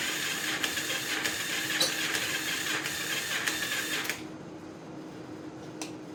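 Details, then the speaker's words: 42-year-old motorcycle after starter repair, key-bypassed ignition, spark just confirmed: steady starter churning about three beats a second for four seconds, never catching; cranks, no start, starting fluid next. "Okay, I'm tired of playing around with this thing. We're gonna put some starting fluid in it. Maybe that'll kick it off."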